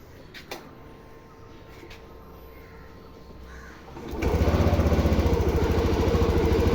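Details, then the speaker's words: TVS Jupiter BS6 scooter with a hard-starting and stalling problem, after the battery was disconnected and reconnected several times to release a possibly stuck IAC valve. Quiet until it cranks and catches, then settles into an even, steady idle with no hunting; normal idle. "എന്തായാലും വണ്ടി ഇപ്പൊ start ആയി correct ആയി നിൽക്കുന്നുണ്ട് correct ആയെന്ന് തോന്നുന്നു"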